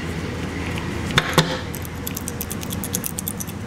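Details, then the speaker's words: Honda A/C relay (part 0746 A 11E) shaken by hand: two sharp clicks, then a light rattle of a loose internal ball or contact. This bad relay causes A/C blowing cold then hot, with the compressor not engaging. "you can hear something rattling around in there like a little ball or a little contact that's come loose"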